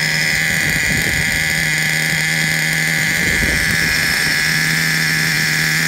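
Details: Traxxas Revo 3.3 nitro engine: steady high-pitched buzz with strong whiny overtone, even note throughout; engine runs fine, though truck needs new transmission, spur gear with missing teeth, starter motor and one-way bearing.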